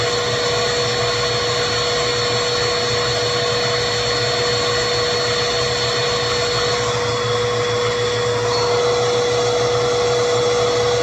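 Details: 2191 vacuum after cleaning bin, brush roller and dusting brush: steady even high-toned motor whine with no surging or rattles; running normally.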